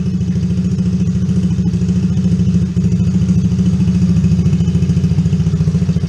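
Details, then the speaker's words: Coolster 110cc Chinese ATV after the carburetor was replaced with a new aftermarket unit, started with a little choke: even, steady single-cylinder putter with no hunting or misses. Normal idle, slightly high before adjustment. "Look at that, choked it a little bit. Thing started right up. Idling. I might not even need this. Idle's a little high."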